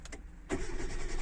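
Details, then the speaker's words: Hyundai Getz starting on petrol after fuel pump and filter replacement: starter cranks about three seconds before catching into steady idle, too long; owner suspects the pump only runs while the starter turns. "і потім запуск секунди три це дуже довго"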